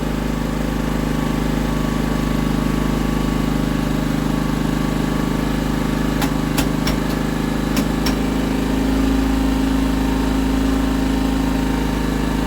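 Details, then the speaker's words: Scrap auction Honda generator, no new parts, breaker pressed, powering a halogen work light: steady even drone from the small single-cylinder engine holding speed under load, no hunting or misfire; normal running under load. "there we go there we go press the little breaker we're away [Music] absolutely perfect"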